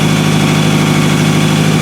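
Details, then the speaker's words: 2000 Toyota Camry after misfire repair, warm idle with rotted, loud exhaust (probably flex pipe): even, steady idle with a regular low beat and no stumbles or skipped firing; misfire fixed, idling cleanly. "running absolutely perfect obviously you hear the exhaust because of that but not a single misfire just plain rice cake farts plain old rice cake parts"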